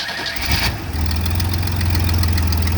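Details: 1988 Chevy S10 after fuel filter change, fuel pump primed: brief whirring crank that catches within a second and settles into a steady low idle rumble; normal start, no leakage.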